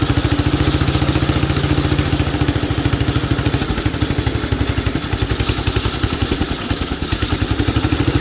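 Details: 1967 Gravely 430 sat outside for years, after clearing debris from the ignition points: crisp, even single-cylinder firing three to four beats a second, no misses or knocks; engine good, not smoking or burning oil, transmission junk.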